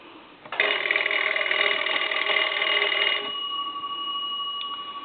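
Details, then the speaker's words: Cracraft Leich wood wall crank telephone after repair and rewiring, crank ringer test: bright, rapid, even bell ring about three seconds fading to a hum; ringer strikes cleanly, normal bells. "that gives you an idea of what it sounds like on the ring cycle what it sounds like on the ring cycle there"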